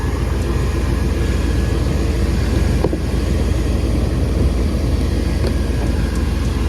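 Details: OBS truck after a clicking no-crank no-start: engine now starts and runs steadily with an even low rumble, no knocks or grinding.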